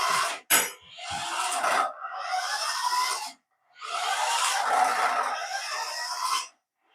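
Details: Paladone RC VW Campervan toy after gearbox fix with a spacer holding the gear in place: two bursts of thin high-pitched motor whir with gear buzz, no clicking or skipping, drive runs smoothly (motor wires reversed).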